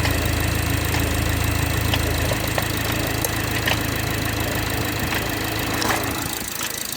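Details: BMW 430i xDrive, B46/B48 four-cylinder, cold start in cold weather: light steady knock about four per second over idle hum; cause unknown.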